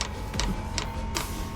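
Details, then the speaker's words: Chinese diesel heater dosing pump on a 2018 Ford Transit diesel, tapped into the van's tank, first start with dry fuel line: sharp even ticks about 2.5 per second over low hum; pump ticking while priming before diesel arrives. "hear that ticket that's the pump underneath trying to pull yeah you can hear the pump ticking trying to pull"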